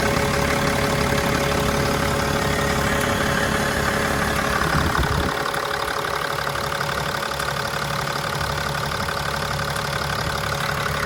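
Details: Mercedes E320 CDI diesel at idle: light, regular ticking of about three ticks a second over the diesel clatter; cause unknown.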